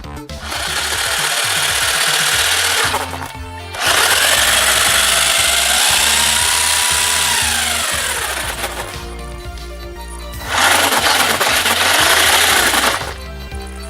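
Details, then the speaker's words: Sports Drift GS1002 RC car after new rear shocks and electronics, bench test: motor whine rising and falling with throttle, no grinding or clicking; the diffs and drivetrain sound healthy. "diffs seem to be working pretty good that's good"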